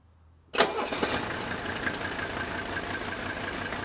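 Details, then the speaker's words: Mercedes turbo diesel, start-up: cranks and catches, then uneven pulsing idle with lumpy beat and violent shaking; rough idle, cause not yet found. "see how much it's shaking? Look at it, it's pulsating like this."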